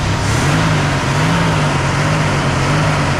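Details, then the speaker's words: 1965 Mercury Montclair 390 FE big-block V8, abandoned car restarted: steady even low rumble, no knocks, misses or squeals; engine sounds good, though idle circuit needs carburetor cleaning and it smokes a little. "I mean, her engine actually sounds pretty good. Does it not, Ole Man?"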